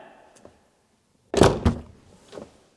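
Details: 2005–2007 Subaru Legacy/Outback: the door slams with a second loose knock right after, a rattle from inside the door.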